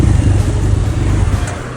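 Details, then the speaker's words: 2011 BMW GS800 (Rotax twin) with K&N filter and open exhaust, warm at 100 degrees idling, clutch pulled: low lumpy idle sags and fades; stalls when warm, not cold, from over-rich mixture. "I had a bit of a problem when I got this beast because it was stalling when I was either downshifting, either it was on idle at 100 degrees, so when it was warm."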